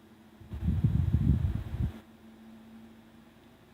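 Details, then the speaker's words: 1931 Emerson desk fan Model 29646 on low speed after repair (speed control wires restored, new line cord, cage adjusted, grease and dirt cleaned, blade edges sanded): only a faint steady low hum, no rattle or scrape; quiet as can be. "so if it is and that's on low speed quiet as can be"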